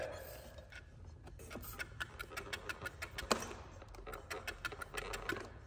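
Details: Fan, partly disassembled, spun by hand: a light sharp tick about three times a second. The clicking is suspected to come from loose pieces of tape found inside the fan.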